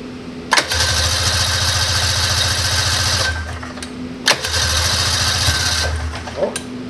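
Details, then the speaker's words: 1999 Ski-Doo Formula DLX sled with badly messed-up carburetors, first start attempt on full or half choke in roughly 50°F weather. Two buzzy cranking bursts of about three seconds catch weakly and die. The owner thinks it flooded from too much choke. Hard starting. "you fired eventually I probably just floated it out good night yeah I totally just flooded it"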